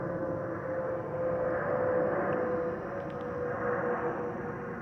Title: 💛🖤💛Spirit Airlines Airbus A320-232 N605NK NK1560 ATL-DTW (FOPP whistling sound)💛🖤💛